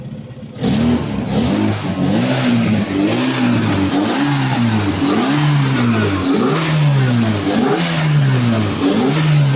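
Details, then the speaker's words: VW Mk1 converted from carburettor to a 1.9i 8v injected engine, revving up and down: steady mechanical ticking underneath from the old, now unused mechanical fuel pump; fix is removing it and fitting a blanking plate. "when we run the engine we can hear that it's making a noise that it's not supposed also and fun fact that sounds actually coming from the mechanical fuel pump because yes you got to remember this was previously a carb engine"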